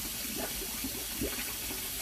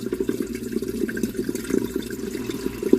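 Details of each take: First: Kitchen sink filled with water then drained, drain piped with multiple turns: slow swirl with bubbling and glugging instead of a straight flow; venting issue doubted, may need cabling or jetting; gurgling slow drain. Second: Kitchen sink drain after plunging, while the dishwasher pumps out on a cancel cycle: steady gurgling flow with splashy trickles and no backing up; drains freely, though the piping's multiple turns still cause some slowness.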